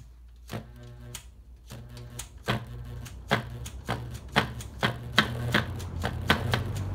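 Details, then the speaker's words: Very old Hurricane box fan running on high speed, very powerful but noisy: sharp, slightly uneven ticks about once a second over a low fan drone. Owner suspects loose blades, not confirmed. "you kind hear that something seems to be a bit loose on the blades so I don't know if the blades are a bit loose that could be the issue"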